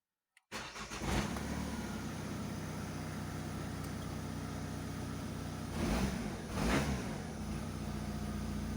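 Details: Opel Combo 1.7 diesel, previously a no-start with code P0251, after engine control unit solder repairs: cranks briefly, fires at once and settles into a steady, even idle with two throttle blips.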